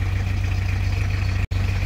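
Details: Isuzu Panther 2.3 diesel after alternator repair (failed positive diode and regulator IC, blamed on charging a fully flat LiFePO4 battery at high rpm): an even, steady low diesel thrum with no misses or knocks; normal idle.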